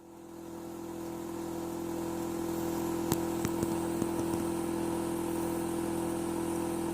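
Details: Hitachi air conditioner outdoor unit spins up into a loud, steady, low humming drone with a few sharp clicks early on; excessive running noise, cause unclear.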